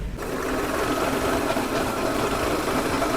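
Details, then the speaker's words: VW Polo TDI diesel with a pickup (acceleration) complaint, at idle while the clutch is pressed and released: fast, light, chattering whir like a sewing machine over the idle. "देख रहे ना भाई कितनी आवाज़ है इसका।"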